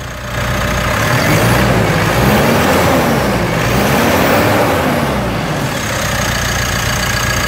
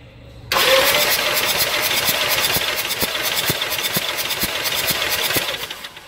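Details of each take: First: 2018 Mitsubishi Triton diesel, automatic, with a semi-new replacement engine fitted and decarbonized after the original engine jumped timing; catches quickly and settles into a steady diesel clatter at idle with no knocks or rattles; healthy. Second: 2018 Mitsubishi Triton (L200) diesel, compression test before engine replacement: starter spins it with a lopsided uneven chuff, one beat missing each turn; gauge shows no compression at all on the first cylinder.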